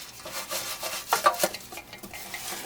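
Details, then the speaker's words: Air cleaner from a wrecked 1958 Studebaker Commander that sat in a field for probably 30–40 years, shaken by hand: loose gritty rattling and scraping shifting with each shake as debris tumbles inside; kept off the carburetor for now. "So, this air cleaner had been on that other Studebaker sitting in a field for probably 30, 40 years. I mean, a long time."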